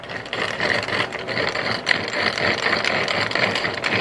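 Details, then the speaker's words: Removed manual transmission that was noisy and wouldn't stay in 5th gear, turned by hand: gritty, ratcheting rattle with excess play versus a good gearbox; worn input shaft bearing, likely needing the case split. "that input shaft bearing is just done so you on this one you probably have to split the case"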